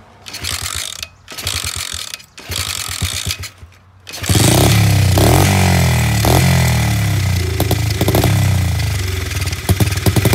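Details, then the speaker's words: SSR 70 pit bike of unknown running history, carburetor not cleaned, started on starting fluid: short stuttering bursts then a ragged single-cylinder bark with uneven popping; rough running, but it idles. "3 minutes and 30 seconds. This thing's running and idling. It doesn't sound great, but it's definitely alive."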